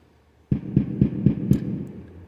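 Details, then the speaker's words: DIY synthesizer drum circuit based on a simple oscillator, with switches now acting as mutes so the oscillator keeps running; after half a second of silence, a low tone pulsing about four times a second fades in cleanly without a pop. "like look at that there's not even popping noise anymore"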